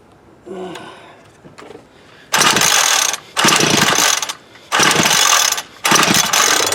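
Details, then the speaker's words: Homelite UT33650A 26cc two-stroke trimmer, high and low carb screws reset to 1-2 turns out: four hard rattling pull-cord cranks with no firing; no-start, carburetor not drawing fuel or building pressure. "well crap all still not sucking up like it should all that cranking I'm starting to wear a spot in the plastic"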